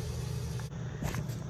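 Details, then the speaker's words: Hood exhaust blower motor running with the belt off: heavy low rumble and rough, uneven growl from bad motor bearings; a rub was also heard, and a suspected rubbed-out motor wire may be intermittently tripping the breaker. "the other thing is listen to the motor you hear that bearings not good much worse that"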